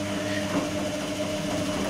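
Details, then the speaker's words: Electrolux-Rex RWP 1273 TFW washing machine in a 60° wash, heated water; brushed Ceset drive motor gives a steady droning hum with a fixed tone, louder than usual (brush noise possibly amplified by recording) but no clear fault. "è un motore particolarmente rumoroso diciamo sentito di peggio ecco motore ceset di recente"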